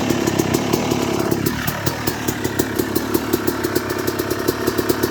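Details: 2006 Yamaha YZ250 two-stroke, first start-up after rebuild with new main bearings, seals, OEM piston kit, replated cylinder and chain: crisp even pops climb and fall cleanly with the throttle, no rattle or misfire; running healthy.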